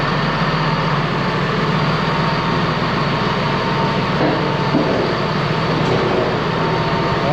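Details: Ex-US Army Cat D6R bulldozer diesel, 822 hours: deep steady, even rumble, no knocks or misfires; sounds good, zero blow-by, a couple of hydraulic leaks.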